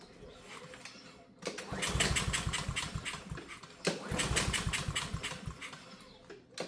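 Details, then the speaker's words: Honda walk-behind lawn mower that won't start, with gas and oil: two long pull-cord cranks with quick uneven chuffs that never catch; starting fluid confirmed a fuel system problem. "All right, confirmed. We do have a fuel system problem."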